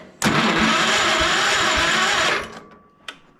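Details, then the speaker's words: Old project tractor, cold outside, oil thick despite magnetic block heater, charged 1979 battery; steady, even starter cranking with strong regular beat but no firing; compression and spark confirmed, fuel in tank stale or absent; cranking, no start. "she's uh definitely got compression I can hear that and uh got a little ahead there"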